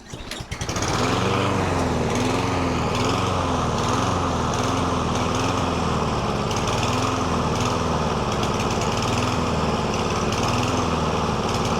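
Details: Lawn mower that surged, hunted and stalled, treated with STABIL Fast Fix and STABIL Start Your Engines fuel additives instead of a carburetor rebuild: catches quickly and settles into a steady, even run with no hunting or surging; runs great again.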